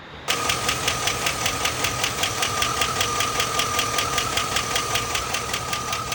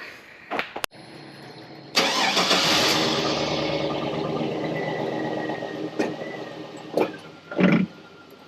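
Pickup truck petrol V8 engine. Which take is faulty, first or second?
first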